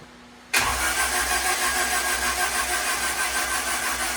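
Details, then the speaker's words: Turbo Honda Integra, first start of 2024, spark plugs out, cranked about 5 seconds to prime the new turbo and check for oil leaks: fast, even starter whir with no firing at all; cranking without firing, as expected. "I'm going to crank it over for about 5 seconds. Check for oil leaks, and once I do that, I'm going to just go ahead and continue to crank it."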